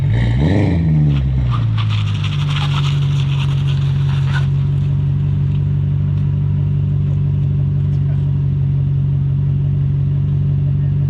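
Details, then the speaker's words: BMW E39 540i driving: steady low drone with an uneven shudder throughout. The rear differential is totally locked, binding and spinning the tires when idling around at low speed. "what we have here is a diff that is tea totally locked here it's really not that bad once you get going you do get some strange looks in a parking lot though or in the tim hortons drive through when you're spinning your tires idling around"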